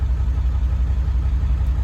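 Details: Ford 7.3 Powerstroke diesel truck after a new fuel pump (about 20 psi more fuel pressure), contribution codes for cylinders 1 and 3: deep idle that lumps and dips unevenly instead of running smooth; still missing at idle, cause unknown.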